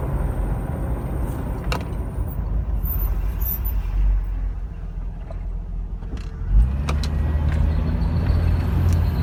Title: Land cruiser 80 series weird noise from front end